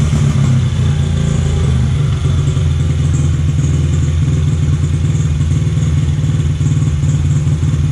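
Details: Honda XR50 (CRF50F) single-cylinder during tuning: fast, even putter with steady low drone and no surging, a clean stable idle.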